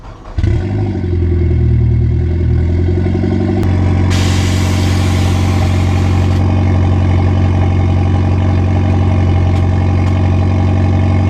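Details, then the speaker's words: Mitsubishi Evo on a drive after a brake squeal fix, rotors sanded with sandpaper: steady engine and road noise with no squeal or ringing from the wheels. Before the fix the brakes squealed once warm; now quiet. "so just took the car for drive and by the sounds of it we got it fixed looks pretty awesome"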